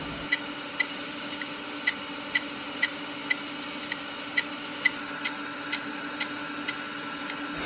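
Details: Opened hard drive whose platter had debris rubbing on it, heard after the debris was removed: sharp, regular ticks about twice a second over a faint steady whir; it still sounds about the same, cause unconfirmed.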